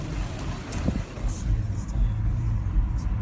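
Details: Audi A4 2.0 TDI common-rail (CAGA): uneven idle that surges and shakes with a lumpy rumble and faint knock, after a month of mild vibration and knocking. Injectors or DMF were first suspected; the cause was a failed fuel pressure regulator valve at the end of the common rail.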